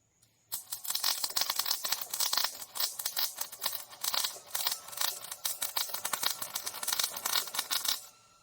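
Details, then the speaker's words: MIG welding trailer main frame in 40.5°C heat, fan possibly blowing shielding gas away: arc spits in choppy, irregular crackling bursts instead of a smooth sizzle; not enough wire feed, being turned up to 54. "weld* Not quite enough wire feed uhhh, I'm going to turn this up to 54"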